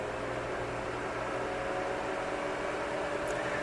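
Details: 2003 Sony VAIO PCV-W500 all-in-one Pentium 4 PC, top casing open, just booted after new DDR RAM installed during Windows XP reinstall: even steady whir with faint constant tone, no ticking, grinding or rising pitch; fans and drive running normally.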